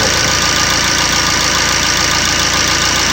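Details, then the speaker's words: Fiat Multijet diesel after work to cure noisy, vibrating running: even, steady idle with a light regular clatter, no knocks or misses, and hoses and cables not even shaking; normal diesel idle. "Evet şu an motorda arkadaşlar inanı hani şu an biz de hayretler içerisindeyiz Mota hortumlar kablolar dahi sallanmıyor"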